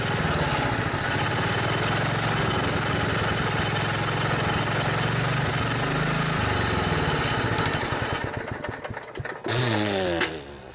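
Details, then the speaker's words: Kohler Command 14 on an LT 4000 riding mower, hard starting after sitting a long time: lumpy running, then it sags, dies and sputters trying to catch, puffing smoke; owner says it runs good, just sat too long. "All of these mowers have been sitting a while, so they're Kind of having a tough time starting up."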